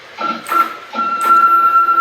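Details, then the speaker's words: CNC machine axis after methodical troubleshooting of non-linear motion and missed steps: a steady, clean stepper whine holds one even pitch through each move, with no stutter or lurching; the axis now travels smoothly. "listen to the difference in the machine now you can hear not only the excitement in his voice he actually lets out a big yeah at the end which is awesome but what it really is is you hear the difference in tone of the machine you can hear it i mean it's night and day difference"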